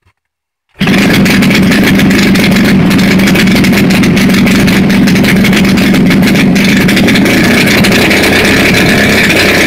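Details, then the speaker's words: JC EVO 120 first start after minor head tune-up, smelling wet, throttle previously set too low; after a moment of silence catches and runs loud, steady, busy even buzz, familiar timing sound; normal running. "There she goes. Ooh, like that sound. That's that timing sound that it had before."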